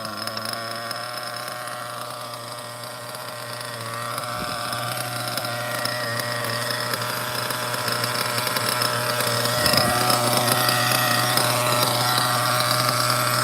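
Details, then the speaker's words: OFNA Ultra MBX nitro buggy with Hyper 21 Turbo engine, tuned; low, steady buzzing idle about four beats a second, even and unbroken, a super low clean idle. "I think this is the best low idle engine ever. See that? Super low."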